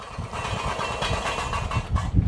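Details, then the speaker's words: Poulan lawn tractor with a Briggs & Stratton engine, first run after sitting all winter: steady single-cylinder idle with a loose, tinny rattle from a loose plate inside the muffler, before the muffler was replaced. "Sounds good, other than the muffler that I have in there that has a loose plate, you know, but I welded it on there, so I'm gonna sell this one for cheap anyway."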